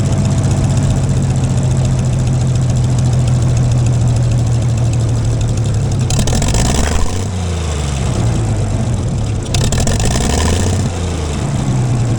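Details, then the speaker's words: Gleaner combine gasoline engine after its first start following a carb rebuild, starter rebuild and two straightened push rods. Steady idle that swings up and down a couple of times, then settles smooth. Runs better after blowing exhaust debris, suspected a mouse nest; running okay. "she runs okay I feel a little better about it"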